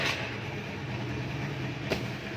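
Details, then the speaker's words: 2012 Honda Vario 110 carburetor scooter, about 70,000 km: starts immediately on the electric starter, then a steady, very smooth hum with no misses or knocks, no smoke, CVT still responsive; normal start and idle. "starter jereng langsung menyala ya teman-teman untuk mesin ini sangat halus halus tidak ngebul cvt-nya masih responsif"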